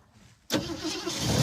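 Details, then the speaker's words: 1969 Ford Mustang 302 V8, sat unregistered 27 years, first start after revival: cranks from push button, fuel at carburetor, catches cleanly and settles into a smooth, even eight-cylinder idle, not yet warmed up; normal start and idle. "there we go didn't take off wow not bad it's pretty smooth for us that's that's eight cylinders I think I feel good about that"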